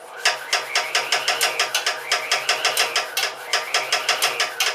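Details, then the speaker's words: Air compressor failing to start, motor sparking inside: quick even clicks about five a second while motor strains and never catches; owner suspects stiff cold oil or failing motor. "I should take the take that bolt off, I guess, and take a look at the oil and see what's wrong with it, because it should be starting fine."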